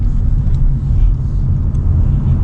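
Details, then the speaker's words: Hyundai Elantra (2018/2019 stated) test drive after front brake pad replacement: only steady low road rumble while rolling and stopping, no squeal, scrape or grinding; stops straight, brakes quiet and normal. "Sounds beautiful. don't hear no squeaking. Comes to a good stop, vehicle stays straight."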